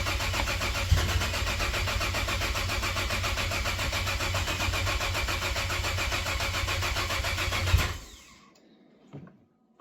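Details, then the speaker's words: 2013 Cadillac ATS 2.0T being swapped to ATS-V engine, start attempt on a nearly dead battery: slow steady cranking for eight seconds, never fires; owner suspects air in the direct injection fuel system. "that's what happens when direct injection fuel systems full of air"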